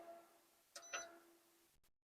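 A steady high beep holds for over a second with a couple of brighter chirps, then stops dead; it's the inverter's normal power-on alert.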